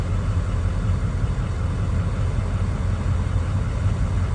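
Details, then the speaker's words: 2003 Ford Excursion 6.0 Powerstroke diesel idling after fuel filter/water separator housing service, dash light still on: deep even diesel rumble, steady idle, no knocks or misses; feels and sounds good, normal idle. "I may need to reset the system. Feels pretty good, sounds pretty good."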